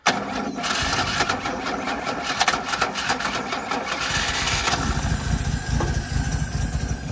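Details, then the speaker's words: 1976 HX Holden Ute on battery hookup: catches at once, settles into steady even idle with no misses or knocks; runs like a top, normal idle. "Jesus, that runs like a top. Kept running. It did. Beautiful."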